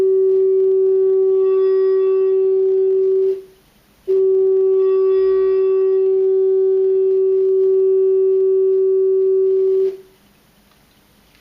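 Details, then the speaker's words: Keyboard amplifier after cleaning its dirty, scratchy potentiometers: a steady, clean mid-pitched test tone with no crackle or dropouts, confirming a successful repair. "I think you can hear that most of the scratchiness is gone it's not dropping out anymore so I would say uh that's a successful repair for this amp"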